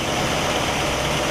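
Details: 1960 Pontiac Catalina 389 V8 at a smooth, even idle with a steady rumble and no misses, Heathkit IO-20 ignition oscilloscope attached; all cylinders' patterns stack consistently and the ignition fires cleanly.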